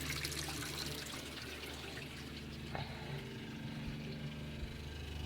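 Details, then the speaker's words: Full-time RV's fresh water pump, running with no city water connected: a steady low hum under the sound of water flowing from the tap, stopping when the tap closes and not cycling on its own. Normal on-demand operation, no sign of a leak. "And when I turn the water off, the water pump goes off. And it doesn't come on randomly."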